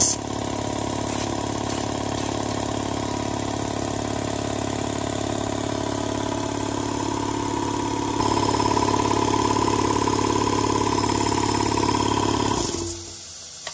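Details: Air compressor with a DIY condenser water separator and automatic drain, filling up during a leak check. Steady pumping drone that labours slightly as pressure builds, then stops cleanly: the compressor is running normally.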